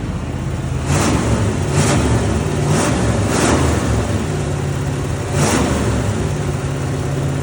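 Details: GAZ-24 Volga with a small-block V8, first start on exhaust: deep, burbling revs that settle back cleanly with an even firing beat, no knocks or misses; normal revving.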